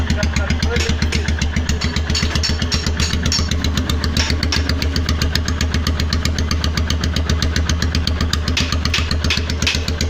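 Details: Royal Enfield Himalayan 411cc single-cylinder at idle, loud, with an uneven stumbling beat about four pulses a second as firing beats drop out; engine misfire.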